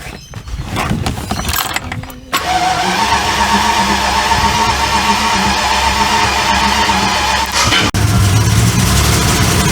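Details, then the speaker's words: Barn-find Jaguar Series 3 V12 starting after fuel tank work, a new sender unit and priming: it catches after a short crank and settles into a fast, slightly lumpy idle, missing a bit at start-up. "Still sounds like she's starting with fuel. Definitely missing a bit."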